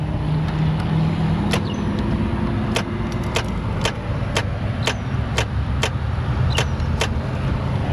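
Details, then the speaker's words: Chrysler Pacifica with a no-crank: the starter relay clicks sharply about every half second over a steady hum while the engine never cranks, consistent and not timing out. "Um but listen to this. This is the starter relay."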